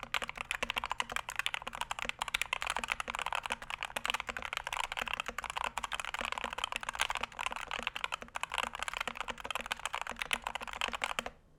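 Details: Punkston TH61 keyboard (steel plate, stiff typing) typed on: fast, continuous, evenly paced clacks with a slightly hollow, plasticky tone and no rattle; switches and stabilizers sound smooth.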